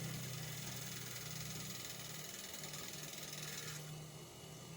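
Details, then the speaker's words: Washing machine replacement spin-dryer motor tested out of the cabinet with brake cable pulled: smooth steady fast whir, no grinding or rattle, then drops away as brake engages when released; spin motor good, normal running. "Jadi intinya ini untuk dinamo pengeringnya bagus ya bisa berputar"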